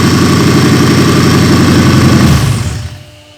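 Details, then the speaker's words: 2003 Toyota 4Runner V8 race truck, engine just reinstalled on new motor mounts for King of the Hammers prep, first start: fires and runs with an even, deep rumble before winding down, no knocks or misses; sounds healthy. "Sounds like it has compression. That's good. Everything seemed good up front on the pulleys."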